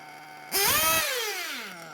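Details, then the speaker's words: Small nitro RC engine being tuned, low-speed needle leaned: buzzes at a fast idle, snaps up in a quick rev, then drops back to a brisk idle; idle too high, to be lowered. "now can you hear the idol is a bit high so i think i'm gonna lower the idle"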